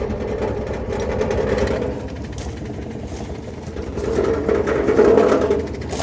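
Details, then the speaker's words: Ford Mondeo Mk3 1.8 Zetec petrol with check engine light, codes P0300, P0301, P0304: uneven puffing chatter about three or four pulses a second, poor throttle response; misfire cause not yet found, possible exhaust leak. "got some exhaust wle down there or something oh it's not happy is it"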